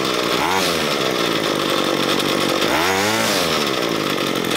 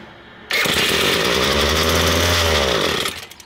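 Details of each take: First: Ryobi ES30 two-stroke string trimmer after carburetor cleaning, main fuel screw enriched another half turn from two turns out after slow throttle response: revs up and holds clean steady high buzz without bogging or surging, then shuts off; mixture sounds right. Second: Ryobi S30 two-stroke string trimmer after carburetor cleaning: sudden high buzzing start that surges and wavers about two and a half seconds then dies, running on the carburetor cleaner left inside; idle then needed adjustment.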